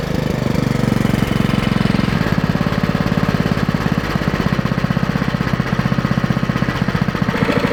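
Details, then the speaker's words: Vintage Streaker one-wheel-drive go-kart with Jiang Dong 196cc OHV single-cylinder engine, after the carburettor bowl was reinstalled and trash from the fuel cut-off was cleared; steady, even thump at fast idle, no stumbles or skipped beats. Normal running. "no worries man the old jang dong is really sounds really good yeah so i reinstalled the bowl of the carburetor and got the trash out of it"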